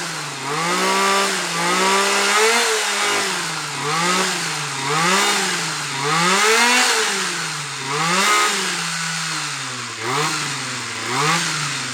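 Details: Titan hedge trimmer two-stroke, glued back together, warming up: high buzz revving up and down in even swells, picking up cleanly and improving the longer it runs; normal running.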